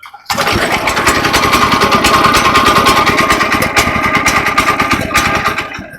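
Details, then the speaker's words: DK2 18-inch gas trencher, cold pull start with choke on and a little throttle: the small petrol engine catches and sputters unevenly, which signals it is time to disengage the choke. "So, as you can hear, it started sputtering. It wants to start. And when you hear that, you know that you're okay to disengage the choke."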